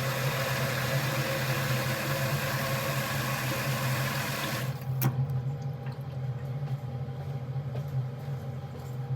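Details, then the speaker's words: Gas boiler switched on via thermostat heating demand: low steady buzz with faint hiss for about five seconds, then cuts out as boiler shuts off; electrical-type buzzing, engineer suspects the PCB, not confirmed. "as you can see just turn it on you can hear a bit of a buzzing wondering whether it's the um the actual PCB or not"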